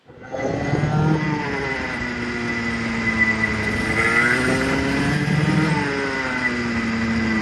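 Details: Clutched go-kart engine on-track run-in, revs cycled between 6,000 and 10,000 RPM with light brake taps: clean buzzy note climbing and dropping smoothly, no knocks or rattles; healthy.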